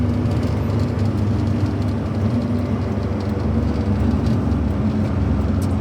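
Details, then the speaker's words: JDM Suzuki Jimny JA22 at 120 km/h after its bad rear wheel bearings were replaced: only steady tire roar, wind and glass rattle, with no growl or hum; the bearings sound normal. "I don't hear anything out of the ordinary. That's good. You fixed it."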